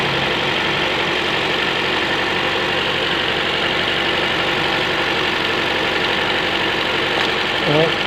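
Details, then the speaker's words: 2008 Toyota Allion 260 1.8 with a misfire: lumpy, uneven idle with a stumbling beat and engine vibration. Disconnecting this cylinder's injector connector leaves the rpm unchanged, so this cylinder is misfiring. Suspected causes are coil, spark plugs, injector or valve gap. "You can see a vibration in the engine When you come to the silencer, it feels good."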